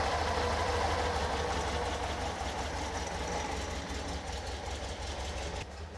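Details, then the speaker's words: Weber 40 IDF carbureted car, first start and idle after rebuilding the carb to cure clogged idle jets: air cleaner gasketing padded, loose tin shored up, brass snorkels added to idle air correction intake; steady, even idle, no misfire or stumble, normal running. "so so everything's now put back together so it's time to start it up see how it idles"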